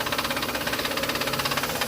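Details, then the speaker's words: 2005–2010 Honda Odyssey idling, AC off: rapid, even ticking knock under the hood; vibration felt through a screwdriver on the AC compressor matches the noise, so the compressor is the source. "i'm feeling vibrations consistent with the noise on this ac compressor right now so what that tells me is the noise is coming"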